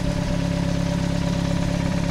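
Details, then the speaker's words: VW Gol quadrado with a petrol CHT engine, after fine-tuning the idle mixture and screw, exhaust holed: a steady, even low idle with a smooth, unbroken pulse and no misses or ticks. Normal idle. "o barulho dessa macha essa macha lenta aqui cara muito boa"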